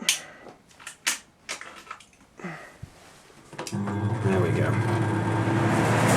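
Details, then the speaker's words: Duct fan rated 1280 RPM with a speed control, switched on at the minimum setting: a few clicks, then the motor jumps straight to a steady full-speed hum and air rush before the controller drops it to the preset speed, a normal start-up. "So it instantly goes to full speed, and then the speed control takes over and goes to the speed it was preset at."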